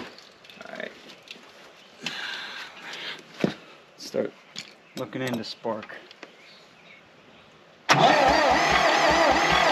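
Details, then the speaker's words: 1960 John Deere 1010 backhoe gas engine after rebuild: no spark, makeshift fuel setup, carb cleaner/starting fluid sprayed in; starter cranks steadily about two turns a second but engine never fires. Crank, no start; cause suspected, not confirmed. "all right I guess we have no spark and my fuel setup's kind of janky but um I'm gonna try to give it some carb cleaner and then crank it see what happens starting fluid"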